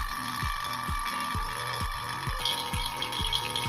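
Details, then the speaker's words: Sharp single-door fridge not cooling, vacuum pump evacuating the system via manifold before refrigerant recharge: steady mechanical rattle pulsing about twice a second over a constant hum, to be run 10–15 minutes until sound stabilizes; normal vacuum pump run. "rumah-rumahnya ini kita tunggu sekitar 10-15 menit ya sampai udara yang ada duit kamu terbuang habis dan juga suara dari ininya takutnya itu stabil"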